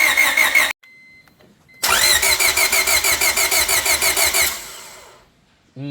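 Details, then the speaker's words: Honda Civic EK with a replacement engine, on the first start attempt after reassembly with the airbox not connected: fast steady cranking at about three turns a second, but it never catches; crank, no start. No spark was found, and the owner suspects a loose connector. "that did not fix our problem. All right, so as you guys saw in the last clip, we've got no spark."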